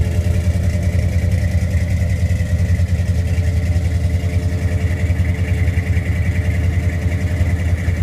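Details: 1973 Ford F100 302 V8 with Holley 4160 carburetor: steady low rumble at idle with an uneven, lumpy pulse; abnormal engine noise, source unclear.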